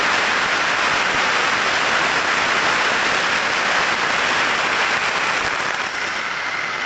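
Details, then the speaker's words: Ultrasound probe on a bearing during grease-assisted lubrication: a steady hiss whose decibel level falls as grease goes in, then climbs again with continued greasing, showing over-greasing and added friction from excess grease. "Hemos ido aplicando grasa, hemos visto cómo bajaban los decibelios, y luego hemos seguido aplicando grasa y ha vuelto a subir, ¿vale?"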